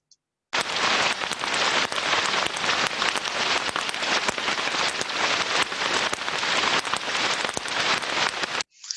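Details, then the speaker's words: Ultrasound probe recording of idler bearing number two: harsh crackling hiss with frequent sharp, repetitive pops at higher amplitude than the smooth, uniform bearing number one, showing a worse state of health. "so by just looking at comparison now between number two and number one we can see more repetitive impact higher amplitudes so now we can start to determine that number two is in a worse state of health than number one"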